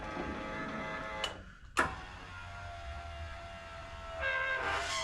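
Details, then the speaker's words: Simplicity Regent S deck-lift motor, key on, after replacing the battery and the deck-height switch: a smooth motor whine runs, stops, then runs again as the deck lowers and raises. Normal operation. "Now, as I go down, it goes all the way down. As I go up, the deck height raises like it should."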